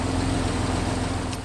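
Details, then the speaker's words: 1991 Jeep Wrangler YJ six-cylinder that sat for years, after a new fuel pressure regulator and all injectors were replaced. Smooth, steady idle with an even beat and no stumble, now running on all six cylinders, a major improvement. "Okay so as you can hear major Improvement it's running on all six now all six cylinders and uh pretty steady"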